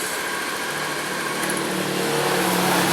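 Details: Injection scooter started after battery and electrical checks and refitting the spark plug; small engine runs with a steady even buzz, no misses or rattles, then shuts off cleanly; normal idle.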